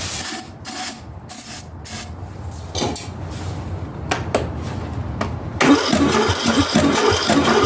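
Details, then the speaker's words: Ariens/Husqvarna riding mower engine cranking in short bursts without catching, even with starter fluid; the compression test read about 45 psi against 90+ good, leaking down; the head gasket was later replaced. "all right so it doesn't want to start so what we're doing we'll hook up the the pressure gauge here and we'll see what kind of uh pressure we're getting out of it it's leaking down and uh we only got to about uh 45 or so and these really anything above 90 is good but uh so we have a problem with compression"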